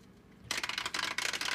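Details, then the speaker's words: Two-year-old Fluval 206 canister filter with a leaking gasket: quiet, then a sudden fast crackling rattle once the flow is opened all the way. Cause unclear; owner ended up buying a new filter. "one thing that's weird is if I open this up all the way right now listen to"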